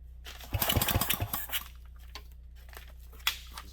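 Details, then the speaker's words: 1967 Briggs and Stratton 6 hp engine after plugging it up: rapid recoil-pull clatter dying straight away with no firing; possibly flooded, plug check considered — cranking, no start. "we are not getting anything now how much longer do you guys want to watch me pull on this thing"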